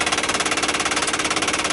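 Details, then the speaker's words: 1959 Ford Galaxie Fairlane 500: fast, even electrical buzz pulsing about twenty times a second, no engine running; stops when the clock's inline fuse is unhooked, so the clock auto-rewind is the buzzing source. "now no more noise so it was definitely the auto rewind or or just the clock itself making noise"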